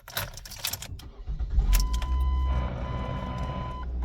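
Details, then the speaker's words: 2005 Ford Focus after replacing motor mounts: keys rattle, starter catches, engine settles into a low, quiet, even idle with no knocks or clunks; the noise was the motor mounts, now fixed. "Okay, yep, that was the motor mounts the whole fucking time. That's great. All right. I'd say that was a pretty solid repair, considering it's quiet in here."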